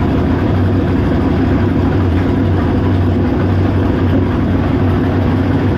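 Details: V8 on a test run with a used, rebuilt 4-barrel carburetor: loud, heavy drone with an uneven, lumpy pulse instead of a smooth beat, rough running. Owner suspects the choke, carburetor, base plate or coil; cause unconfirmed. Water pumping out noted.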